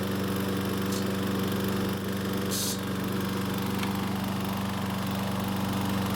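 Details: Troy-Bilt self-propelled mower running in fourth gear after repair: steady single-cylinder drone with a fast buzzing chatter from the recoil; flex pulls the rope at the handlebar guide, making the starter pawls drag, and the chatter seems to stop when the rope is released.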